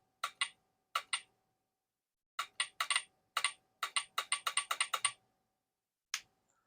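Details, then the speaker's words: Switch Hitter release solenoid with the switch plugged in and the unit turned on: crisp short clunks each time it fires, with no buzz or drag between them, so it is working properly. "that clunk tells me that the switch hitter is working"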